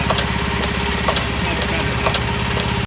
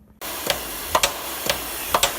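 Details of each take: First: Old Haskel gas booster after a shuttle valve rebuild, under load: over a steady compressor drone, a sharp bang about every half second then quick light taps, the shuttle bouncing on one side and chattering. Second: Old double-ended Haskel gas booster after its shuttle valve was cleaned and rebuilt, driven by about 12 psi of dry air: air hiss with crisp, evenly spaced shuttle clicks about twice a second, cycling smoothly.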